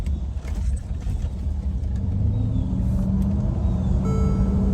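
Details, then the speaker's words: Mercedes-Benz GL450 4Matic after replacing stretched transfer case chain, driving at 900 rpm and 10 mph: smooth pull-away with no grinding or jumping, which was heard before repair; normal transfer case operation. "it's all good beautiful beautiful beautiful see the road all [Music] good"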